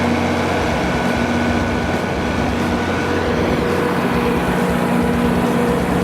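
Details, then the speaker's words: Used 175 kW Kohler generator with a John Deere diesel engine, fully serviced with new oil and filters and a refurbished radiator. It holds a steady, even drone at constant speed with no knocking or hunting, running smoothly. "Love that noise, ladies and gentlemen."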